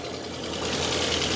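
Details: Ford Fiesta with overheating and misfiring, overhaul suspected: petrol engine idles unevenly with an irregular stumbling beat in its low rumble.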